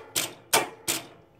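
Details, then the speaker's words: CB550-engined go-kart with electric shift, engine off; two solenoids, left upshift, right downshift, triggered by steering-wheel buttons; three sharp clean clicks, occasionally misses a shift from imperfect adjustment; normal shift solenoid actuation. "here's my shift buttons on the steering wheel this is upshift that's the downshield and let me show you i got uh i got two solenoids right here that that's what does the shifting the left one is up shift right was downshift"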